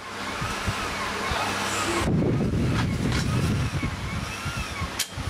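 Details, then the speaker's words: Pioneer CT-200 cassette deck playing a tape: pitch wavers and bends unevenly over tape hiss (wow and flutter); capstan motor voltage fluctuating between 12 and 48 volts from a failed speed regulator on the control board inside the motor shell. "it's fluctuating between 12 and 48 volts so under braking later well the personal a regulators gone bad in this board"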